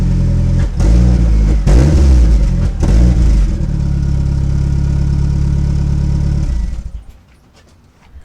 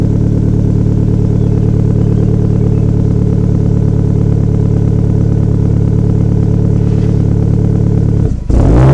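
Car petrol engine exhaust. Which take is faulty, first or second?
first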